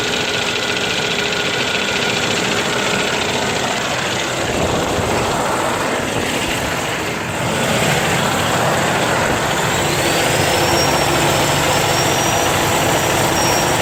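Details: ISX diesel restarted: heavy cranking into a loud, steady clatter around three to four beats a second, running rough; bad fuel pump suspected.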